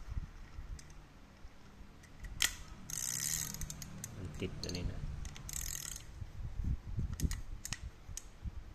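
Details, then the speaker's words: Used Japanese-made Olympic spinning reel, about size 3,500–4,000: smooth gear whirring with soft ratchet clicks turning forward and back, no grinding or catching; turns smoothly, works normally. "รรอยก็หมุนด้วยหน้ามีเสียงแบบนี้เลยครับหมุนลื่นครับการกลับทำงานปกตินะครับหมุนเดินหน้าถอยหลังได้"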